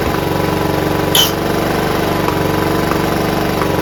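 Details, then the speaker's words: John Deere RX75 rear-engine riding lawnmower, small single-cylinder engine: quick, steady putter with one brief clatter near the start, runs evenly; sounds fantastic, no carb clean needed. Normal idle; kill switch initially wouldn't shut it off. "That sounds great. You don't need a carb clean now. It sounds fantastic."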